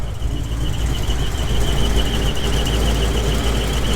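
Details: GMC 2500 Vortec V8 truck, only when warm, belts ruled out, past oil-pressure loss: thin steady warbling squeak over deep idle rumble, traced by listening stick to torque converter/flexplate area with transmission unbolted; cause suspected.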